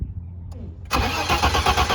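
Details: 1991 BMW E30 with 2.7L stroker M20, 290-degree cam, individual throttle bodies and Megasquirt ECU, sat 3–5 years: starter cranks with even compression beats but never catches. Spark confirmed, fuel pump not heard.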